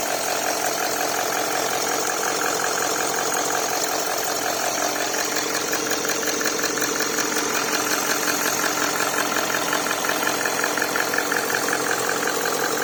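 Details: Range Rover Sport V8 diesel idling after oil cooler replacement, already run for an hour with no oil leaks seen underneath. Even, steady diesel clatter with no misses, knocks or rattles; running smoothly and healthy.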